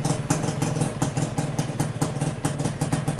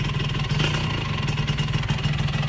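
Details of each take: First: Suzuki Satria Hiu after engine overhaul (new crankshaft bearings, connecting rod, oversize 150 piston), cold start hard; low even thump idle, earlier loud clack from connecting rod gone, slight noise perhaps from clutch housing. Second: Suzuki Satria Hiu motorcycle before an engine rebuild. A harsh, rapid "krek krek" rattling clatter rides over the exhaust beat. The owner suspects the crankshaft bearing and later replaced the bearings, seals, piston and block.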